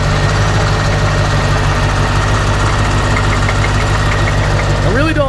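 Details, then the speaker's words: C4 idling after earlier refusing to idle at all: a loud idle with uneven knocking at roughly three a second, not a pulley, no visible oil leak; engine knock at idle, cause not yet pinned down. "but listen to that noise I mean I don't know that much about cars but that cannot be good"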